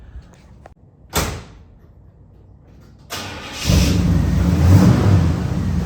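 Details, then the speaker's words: 1973 Chevrolet K5 Blazer V8, finished after rebuild and brake work, about to be driven; a thump, then it cranks, catches and settles into a deep, even rumble that sounds healthy. "so I want to show you guys today what a running K5 looks like"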